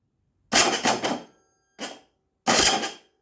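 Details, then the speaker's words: GasGas, cold engine: three short starter whirs under a second each, cutting out without turning the engine over; starter fails when cold but works warm. "we all know this sound at least those that uh own a 2018 this is the gp of my mate i had the same bike both bikes did the same from day one they didn't start on the button when the engine was cold but they started well when the engine once was warmed up"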